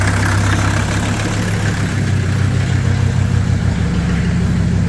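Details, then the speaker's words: 1983 Mercedes 300D, OM617 five-cylinder turbo diesel, started after hydrolock: a deep, lumpy idle with an uneven beat of about three per second. Oil left in the cylinders is making it run rough while it burns off. "it is expected that it's not going to run perfectly smooth because of the oil that's in there"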